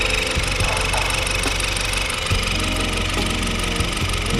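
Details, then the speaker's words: 10th-gen Honda Accord, direct-injection petrol, idling with code P0087 (fuel rail pressure below target): overly chirpy, sharp ticking from the cam-driven high-pressure fuel pump, judged failing rather than the rail pressure sensor. "this pressure pump is no good the highpressure fueld pump is not supposed to sound that chirpy they can be a little chirpy but that's definitely"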